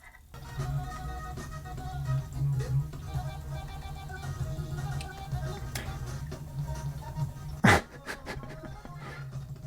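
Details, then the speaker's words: Teac PD-100 CD player (player B), after a capacitor change and refitting the original pickup, reading a disc for the first time: music plays but keeps stuttering and skipping, with a sharp glitch near the end. "Well, it's fair to say that's a little bit skippy."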